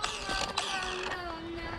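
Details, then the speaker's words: Arrma Typhon 3S RC car after repeated jumps and crashes: sharp irregular clicks and creaks over a whining motor as teeth skip on a stripped spur gear; owner suspects the spur is killed, or hopes only the pinion/spur mesh is off. "what i feared it's broken okay guys so i heard a fishy sound a few minutes ago and well i was right because i think i may have killed the spur"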